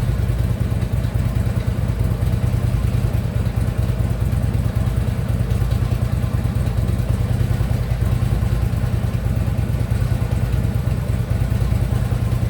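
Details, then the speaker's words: Harley Ultra Limited V-twin just fitted with a new compensator, which is now quiet: loping idle with a faint loose clatter underneath; lower-end knock, not on the compensator side, checked by stethoscope, source not located. "Something knocking a little bit, but it's not on this side."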